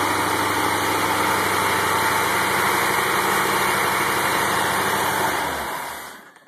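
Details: 1984 Corvette C4 350 V8, original 58k-mile engine just rebuilt and honed after sitting with a head gasket leak: smooth, even idle holds steady about five seconds then is shut off, no knocks or ticks; normal idle.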